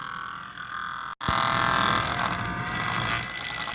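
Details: MSI GS30 laptop cooling fan (model PAAD07010SH N263) whirring with a raspy, uneven rattle through its airy hiss; cause not confirmed.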